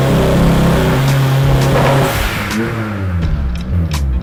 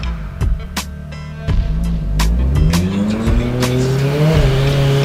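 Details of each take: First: Turbo S2000 pulling under load on a dyno, exhaust restrictor removed, air-fuel ratio correct: the note breaks up and stutters under boost, with music behind; misfire from too wide a plug gap. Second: Turbocharged Honda S2000 on the dyno under load and boost after checking plug gap and fitting higher heat range spark plugs: revs climb smoothly to a steady high drone with no stumbling or popping, misfire cured.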